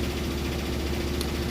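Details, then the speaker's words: Like-new Maytag Bravos HE washer on heavy-duty spin with super heavy load: steady low drone with faint buzzing rattle from the drain hose behind the washer vibrating; hose needs securing, washer itself fine. "that's my hose back there making that noise a little things they brighten a little bit but I'll have to find a way to secure that down a little bit better"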